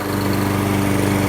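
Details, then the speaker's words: Toro SmartStow Recycler 22-inch mower, first start after seasonal maintenance: small engine holds a steady, even hum with no misses, knocks or surging; sounds like new, normal running. "This is our final segment here. Got this engine to run. Sounds like a brand new lawnmower."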